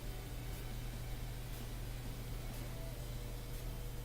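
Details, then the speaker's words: Bosch washing machine diagnostic test: energized dual cold-water prewash inlet valve gives a steady low electrical hum but no water flows; the valve likely needs replacing. "Yeah, it's supposed to be water coming in right here, but there's none. So I think that's the water valve I got to replace."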